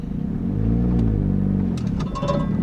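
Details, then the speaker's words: Audi A5, turbocharged, 6-speed manual; low rumble surges and sags as the car bucks, then a light rattle creeps in before it dies; rattle source not yet found, owner first suspects disconnected exhaust. "What is rattling? Oh, it died."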